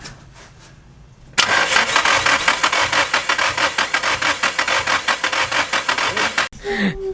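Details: RHD Nissan S13, checked after blow-by with metal shavings found, compression test on cylinder two: the starter cranks at a steady beat for about five seconds; compression is low, and the engine needs a rebuild.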